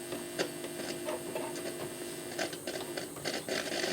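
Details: Philips NG 5159 valve record player with BSR deck, first power-up: low steady hum with scattered irregular crackles and pops from the amplifier before any record plays; slight hum and crackles.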